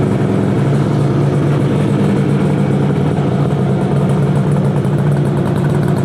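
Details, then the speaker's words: 1968 Yamaha YAS1C 125 two-stroke twin, carburetors cleaned, choke on then off: burbling at low speed with slightly uneven stumbling beat; right cylinder misfiring, left steady; owner suspects right-side carburetion, probably pilot jet. "oh choke off not yet see you can hear the difference this one is this one's steady so there's something going on on the right side"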